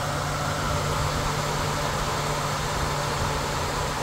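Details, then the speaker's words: Radiator cooling fan commanded by a Launch scan tool actuation test, stepped from 50% down to 20%: a steady, even whoosh that gets quieter as speed drops, over a smooth engine hum, with no rubbing. "20% ya va bajando la velocidad se dan cuenta ya se escucha menos"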